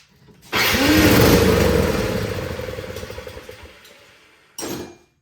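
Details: Honda HS520 single-stage snowblower, unserviced, choke out, fuel on, with starting fluid sprayed into the cylinder: engine catches with a brief sputtering burst then dies; fuel not reaching carburetor, suspected stale gas.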